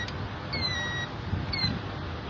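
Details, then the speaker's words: Car failing to start: two short high chirping beeps about a second apart; owner thinks the alarm is going off and suspects someone tried to steal the car; cause unknown. "making a beeping noise. My car won't start, man."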